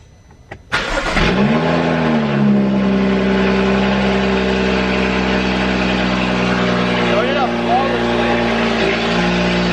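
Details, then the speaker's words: BMW F32/F36 435i N55 after replacing the water pump and thermostat, first start with no leaks found: engine cranks and catches at once, flares briefly, then settles into smooth, steady idle with no ticks or knocks; normal start and idle. "Okay, I'm going to shut it off. That sounded amazing."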